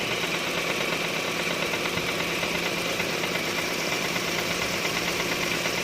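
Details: Proton Saga FLX (IAFM) intake manifold at idle: fast uneven light rattle from the intake side, a loose butterfly flap whose retaining screws commonly fall out; fixed cheaply by modifying the manifold.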